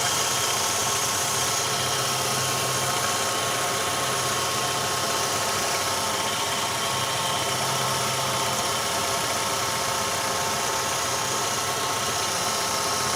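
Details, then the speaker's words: Ravon R3 after alternator belt and pulley grooves cleaned to cure a morning whistle: even, unchanging idle with no belt chirp, whine or whistle; normal idle. "вот ничего абсолютно каких работы других свистов нет"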